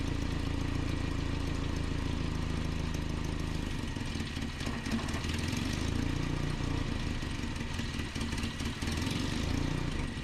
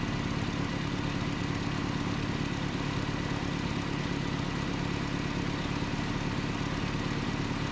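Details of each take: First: 1988 Nissan D21 truck, 2.4L Z24 engine: low idle that swells and sags unevenly every few seconds, never settling; surging idle from a vacuum line leak, before repair. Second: 1988 Nissan D21 truck, 2.4L Z24 engine, vacuum line repair: steady, even idle with a smooth low rumble and no surging or stumbling; normal idle.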